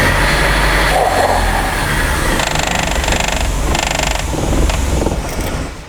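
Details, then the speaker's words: 1995 Nissan 240SX engine in a 1997 S14 shell, first start after reinstall; uneven, lumpy idle with a faint hiss. Giant vacuum leak because the brake booster vacuum line was not hooked up. "Sounded like I had a vacuum leak, which I thought I took care of all of them. And we have a giant vacuum leak because I didn't hook up the brake booster."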